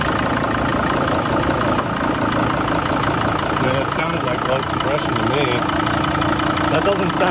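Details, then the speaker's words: 2006 Mercedes T1N Sprinter 3500 with oil on the turbo and antifreeze leaking across the exhaust manifold (suspected head gasket): slow, uneven cranking catches into a rough, lumpy idle, with exhaust coming out in puffs rather than a smooth flow; weak compression is possible but unconfirmed. "it's definitely uh not coming out very even i can definitely feel like it's a puffs instead of a smooth flow of exhaust"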